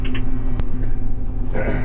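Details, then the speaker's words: Swather running after fuel-up and dust blow-off; previous squeaking is gone, leaving a steady, even low drone with only a brief click; runs smoothly and normally. "Alright, well, the squeaking is gone. You don't hear that anymore. So that's all we have to do."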